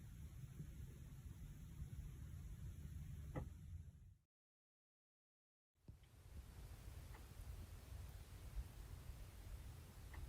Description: Since the start of this winter, we started turning on our heater and noticed this weird ticking/knocking noise from all of the living room wall, all the vents in the rooms.